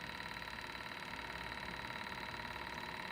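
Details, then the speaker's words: Old two-cylinder alcohol-burner-heated Stirling engine, cleaned and bearings oiled after showing resistance: quiet, light, even ticking about three beats a second, no binding or scraping; runs freely and very nicely after all these years. "it still runs very nicely after all these years I'm talking about we have to talk to mom look at that look at that bad boy go"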